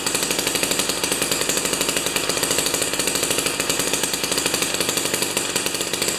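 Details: Jiffy 30 3HP two-stroke ice auger with a J19LM plug instead of a J17LM: rapid, even buzz with crisp firing and no misses after the mixture is turned out from a lean, whining high-rpm setting; normal running.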